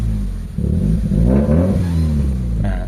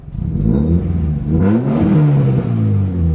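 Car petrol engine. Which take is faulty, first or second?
first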